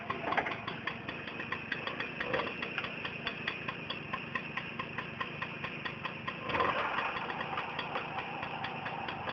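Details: Tomos moped two-stroke idling with a light, regular metallic tick about three times a second, a clutch rattle at idle; cause suspected, not confirmed.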